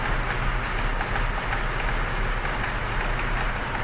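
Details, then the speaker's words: Petrol engine idling with an uneven, lumpy beat and shaking from a misfire, one cylinder not firing; loss of compression in that cylinder causing the misfire and reduced power. "في عننا مشكله بالمحرك لو بنلاحظ في عننا رجه وتقطيعه"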